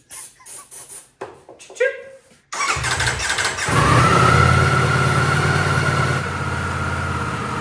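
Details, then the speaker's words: Wrecked 2024 Ducati V4 Panigale rebuild, after electronic cleaner sprayed in when it died on throttle: engine catches after a few cranks, then runs and revs smoothly with steady even note, no knocks; normal running. "sneeze wo hear that sound change [Applause] woo come on sounds mean so that's very exciting so now that we know that this bike runs very exciting"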